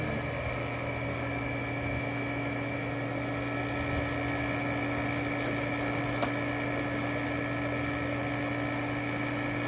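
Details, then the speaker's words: Robinair R1234YF A/C service machine, cover off, pulling vacuum on the high side with low side dropping: constant smooth mid-pitch hum, no knocks or surging; vacuum pump running normally. "Okay, I actually hear. Do you hear the vacuum pump now? I didn't hear that before."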